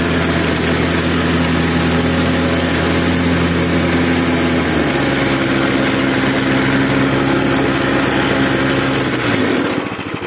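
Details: Repaired Zipper plate compactor, which had smoked, stalled and lacked power before its fuel system was cleaned, with a strainer in place: the single cylinder thumps steadily at fast idle, shifts smoothly to a new steady speed, then shuts off, running evenly.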